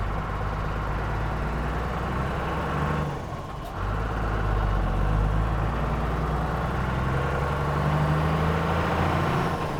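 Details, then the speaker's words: Cummins-diesel Land Rover 130 driving on a country lane after P38 steering box fitment: steady diesel clatter, smooth and even as it pulls, no knocks or misses; oil pressure good, clutch soft again, engine healthy. "Oh, I've missed that sound. Clutch is nice and soft again now the pressure's built up a bit."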